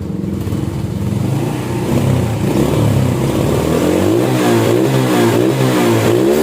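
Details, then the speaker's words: Restored Honda Supra X 100cc with a custom camshaft revving cleanly and smoothly with no knocks; the ticking sound is normal because of the custom cam, and the engine sounds close to stock and is not rough. "Mesin ini bisa dalam keadaan diam. Suara mesinnya juga cukup mirip dengan suara standar. Suaranya tidak terlalu kasar. Meskipun ada suara detikan, itu normal ."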